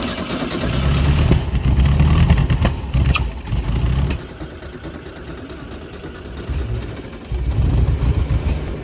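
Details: 1972 VW Super Beetle cranking: two bursts of steady starter cranking with no catch, even with starting fluid sprayed; won't start because water got into the fuel tank and ruined the gas.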